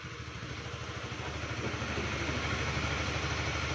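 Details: Honda CBR150 (K45) single-cylinder motorcycle at warm idle: a steady, even idle with a smooth pulsing beat and no knocks or rattles; it is running normally.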